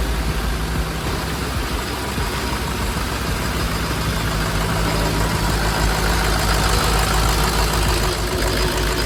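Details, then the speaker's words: Long-abandoned Ford F550 diesel, second start after the lift pump replacement and after refitting the AC compressor and belt: a deep, steady idle under a loud whooshing turbo, running even with no misses or knocks. Normal idle. "All right, just like that, guys, she's running nice and beautifully."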